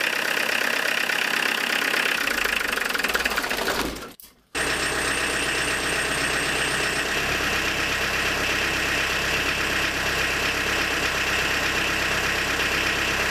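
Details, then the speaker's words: Tractor diesel with Lucas DPC injection pump, injection timing set about 1.5 mm early: very hard, rattling clatter at idle, sharper and louder than normal, smoke acceptable up to 3000 rpm, blackish; over-advanced injection timing. "Вот, а здесь вот, но жестко, очень жестко работает двигатель."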